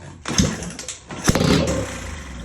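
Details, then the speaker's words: 1980 Honda XL500S single, free bike, after confirming spark and oil, starting fluid in intake, kick start: two sharp pops then brief ragged firing; engine catching for the first time. "You're gonna kick it over a little bit. Oh, we're on fire! We got fire!"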